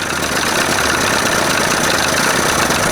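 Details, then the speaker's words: 1981 Evinrude 20 HP outboard, timing just past second mark, not yet warm: busy buzzy idle with faint uneven tip-tip beat and vibration; rough idle, owner suspects an exhaust leak, timing to be checked. "I just don't like all that bumpity. You hearing it going tip, tip, tip, tip? Almost sounds like there's a freaking leak, exhaust leak or something."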